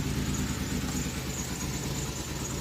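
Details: 1988 Oldsmobile Cutlass Ciera 2.8 V6 petrol, 44,000 miles, cold start after idle air control valve replacement: settles into a steady, low, even idle with no surging, though a known misfire remains.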